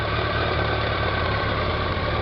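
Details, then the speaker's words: 2001 BMW K1200RS with a dry clutch and an oil seep contaminating the clutch plate, heard at idle after a ride round the block: a light metallic rattle from the clutch thrust bearing that almost disappears with the clutch pulled in. "That's the thrust bearing. Now if I put the clutch, press the clutch in, that noise almost disappears. So that shows your thrust bearing there."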